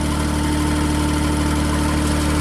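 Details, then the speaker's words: JLG Baby Scissor lift small engine after new crankshaft position sensor was backed out another turn, 2 turns total; engine speed reads correctly, steady even idle with constant hum, no stumbling or hunting. "And it's idling smoothly."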